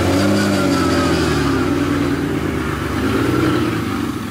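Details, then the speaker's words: BMW E46 drift car after sitting outside 4-6 months: idle hunts and stumbles, about four lumps a second; misfire, codes for cylinders 2, 6 and 3; owner suspects valve cover oil leaking into cylinders. "So we're gonna pull it inside because it has a little bit of a misfire, and we're gonna try to diagnose that."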